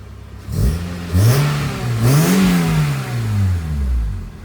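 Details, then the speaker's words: Honda Civic two-door: clean free revs rising and falling with deep intake growl, no rattles or misfires; a little smoky, running really rich, sounds good, normal revving. "so yeah it's on fuel so I think that's why it's a little Smokey but it's also running really rich but yeah I mean it's a really nice car sounds good"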